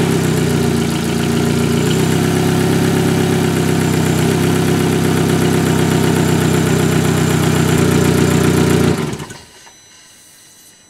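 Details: Volkswagen Golf Mk5 (2004–2007) 1.4L petrol engine, around throttle body cleaning: steady, even idle with a low drone and no knocks or misses, then switched off around nine seconds; normal idle.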